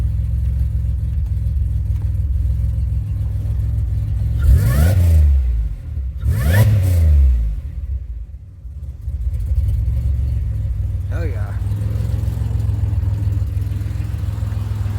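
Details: 2007 Grand Prix right after an ICM and harness swap. The engine catches, revs cleanly twice, then settles into a steady, even run with no stumble or misfire, much better than before: a normal start and run.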